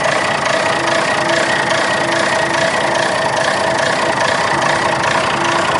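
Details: 60-year-old Clark Michigan 55A wheel loader diesel, restarted after tightening a fitting and O-rings to check for leaks: steady, even idle clatter with no misses, knocks or hunting; normal diesel idle.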